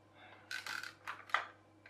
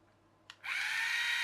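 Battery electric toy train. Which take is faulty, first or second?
first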